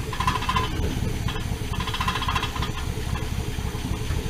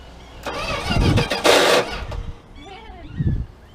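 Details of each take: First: 1979 Dodge D100 Adventurer V8 pickup with a newly installed mini starter: strong, even cranking with a deep rumble building as it begins to catch. Normal cranking. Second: 1979 Dodge D100 Adventurer pickup, cranking on starting fluid with a weak battery: brief sluggish, dragging, uneven cranking bursts, no start; starter drive getting tired, slow cranking, no fuel yet reaching carburetor.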